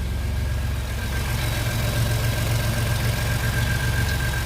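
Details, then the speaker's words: 2015-16 Ford F-150 EcoBoost twin-turbo V6 idling just after a DIY CRP Engineering bigger-turbo install: steady, even low rumble, no ticks, knocks or hiss, no leaks; exhaust sounds good, normal healthy idle. "Love my exhaust, sounds pretty good. Pretty good."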